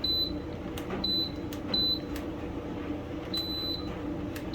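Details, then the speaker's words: Kenmore dryer diagnostic check: short high beep at each click of the temperature-control knob to a new position, every step answering, so the selector switch works; a missing beep would mean a broken position. "every time you turn it to a new one it should beep if it doesn't beep it means one of them is broken right"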